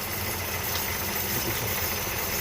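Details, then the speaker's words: 2010–2015 Mercedes GLK350 3.5L V6 (M272), about 180,000 miles, idling after replacing the original spark plugs that caused shaking the owner first blamed on the transmission: steady low hum, no stumble or shake; running smoothly. "truck and i tried no shaking whatsoever so if you i was thinking that is transmission it is actually not transmission it is a spark plug"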